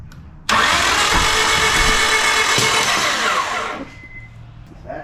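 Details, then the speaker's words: $500 2001 Honda Civic, first start attempt with timing checked and everything plugged in: fast, uneven starter spin around four beats a second that never fires and sounds wrong; crank no start. "not sound good. All right. So, if you saw in the video, it it just cranked over. It didn't start."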